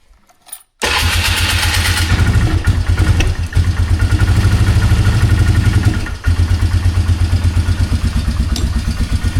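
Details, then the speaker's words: 2003 Polaris Magnum 330 4x4 ATV with prior hard-start issues, running after a fuel pump replacement: starts quickly, lumpy pulsing idle that never climbs in pitch; engine won't rev up, cause unknown, may need fine adjusting. "It's weird. It's not wanting to rev up. I don't know. That's weird."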